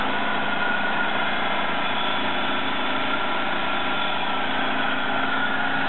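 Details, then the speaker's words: 2003 Buick 3800 V6 after engine swap, restarted with the original flex plate refitted: steady, even idle hum with no knocks, misses or ticks; a small unidentified drip noted; normal idle. "Come over here and make sure we're going to get crankshaft turning. Yeah, come on. Now that's what it's supposed to sound like."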